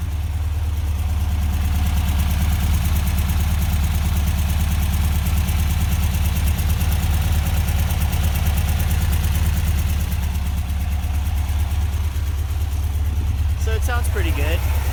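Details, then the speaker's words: Rebuilt air-cooled VW Vanagon Type 4 engine, rebuilt about a year ago, solid thicker cam and Porsche swivel-foot valve adjusters, cool start: deep, steady, even idle with light lifter tick on top, no misses or knocks; normal idle. "it's got a solid thicker cam you can kind of hear the lifters this has the Porsche this has the uh the Porsche swivel foot Adjusters"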